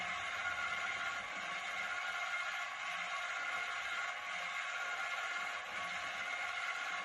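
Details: Model beam engine driven by a DC motor at top speed: steady high whir with a faint thin whine over light clatter; the whine comes from the DC motor's reduction gearbox, not the engine.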